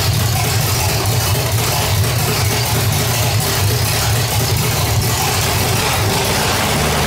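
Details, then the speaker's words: 1985 Stepside truck with cammed V8 (claimed 400 hp Corvette motor), headers, roller rockers: deep, steady, loud idle with a slight rhythmic cam lope, even and healthy with no knocks or ticks after a hard start from a gummed-up carburetor. "definitely sounds good you can definitely hear a little bump in the cam and uh sounds pretty healthy"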